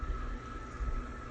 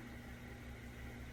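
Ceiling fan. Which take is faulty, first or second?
first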